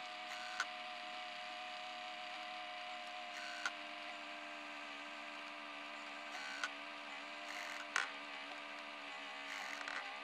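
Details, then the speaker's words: 2004 Apple PowerBook laptop hard drive trying to spin up: rough, wavering whine with a sharp click every two to three seconds as it fails to reach speed to initialize; failing spindle bearing. "it's trying to spin fast enough to initialize, but it can't quite do it. Sounds like a horrible hard drive crash."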